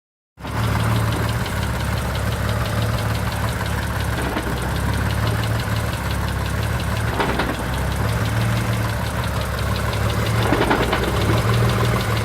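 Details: Mitsubishi 3000GT VR4 at idle with a couple of sharp single driveline clunks when letting out the clutch.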